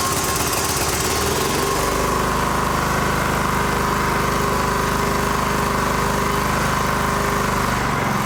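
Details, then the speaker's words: John Deere GT225 lawn tractor with the throttle linkage reattached: a steady, even single-cylinder chug at a settled idle with no misses. Runs pretty good; the battery light is on, possibly not charging. "All right, it runs pretty good."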